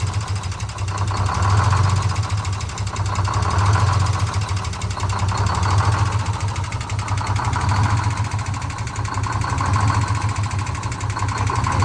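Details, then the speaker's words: Detroit Diesel 6-71 in a 4104, after coolant-in-oil repair, contaminated crankcase still being flushed: idle swells and sags about every two seconds, hunting idle; idle adjustment deferred until cleaned out. "yeah for idle just got that hunt but I don't want I don't want to adjust that until we get all cleared out of there"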